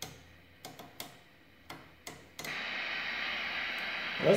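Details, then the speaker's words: 1948 Sentinel 400TV portable tube TV with electrostatic deflection, under repair. Faint clicks, then a steady even hiss of static from the speaker, so the tuner seems partly working. B+ is only 180 V against the 250 V the oscillator plate needs; main filter capacitors to be replaced next. "although i didn't play well with the tuner and we do have some static now so if you can hear that"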